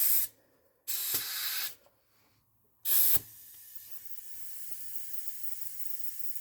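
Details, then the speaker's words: Chevrolet Equinox with recurring misfire, leak-down test showing 80% leakage; sharp air hiss bursts with the hose, steady faint hiss heard at the intake plenum, little at oil fill, none at exhaust, intake valves likely bent. "I immediately hear it if I put this into the oil I hear a little bit but not much if I put it on the back on the exhaust I don't hear anything so this tells me the intake valves are likely bent"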